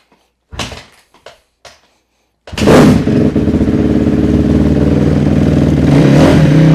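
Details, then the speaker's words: 2006 Honda CRF250R single after valve adjustment (valve clearance set via shim swap), kick-started on choke with idle turned up slightly: a few clunks, then fires and settles into steady even beat with crisp revs, no ticking; normal running. "All right, guys. And there is a successful valve adjustment on a CRF 250R."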